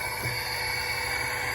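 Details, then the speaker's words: Toyota Tundra leak-down test on cylinder 5, engine off: a constant sharp hiss of pressurised air blowing out past the intake valves, a big loss, so the valves aren't sealing. Leaking intake valves. "Again, we have pressure and we have a big loss. And we can clearly hear it coming out of the valves, out of the intake valves here."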